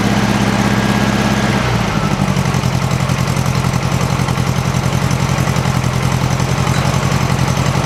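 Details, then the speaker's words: 1956 VW Beetle flat-four at idle after swapping Weber 34 ICT carbs for a stock Solex 34 PICT 3 with a 130 main jet and bolting down the heat riser flanges; quiet, even, but still slightly lean, suspected carburetor settings, no vacuum leaks found. "Very quiet. I think it sounds pretty damn good. Still a little bit lean."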